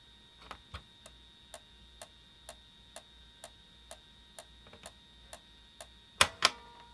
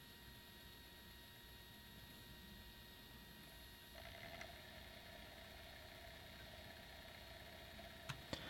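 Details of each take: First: PS1 console with a game disc inserted gives sharp, steady clicks about twice a second and no spin-up whir. The disc does not move and it boots to the disc menu, so the fault is in the disc drive, with the laser suspected. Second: PlayStation 1 that wasn't reading discs: after cleaning with IPA and lowering the laser potentiometer from about 616–626 to 496, the disc spins up smoothly with no weak-laser clicking and the drive reads normally.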